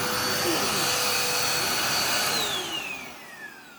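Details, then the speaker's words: Dirt Devil Power Express basic upright: strained, hissy whine steady then winding down in falling tones at switch-off; sounds a little clogged, belt obviously worn; needs new belt and possibly unclogging or filter clean, cause unconfirmed. "sounds a little bit clogged and it very obviously has a worn out belt so I'll need to put a belt on that and possibly unclog it or maybe just clean the filter maybe that's why it sounds clogged who knows"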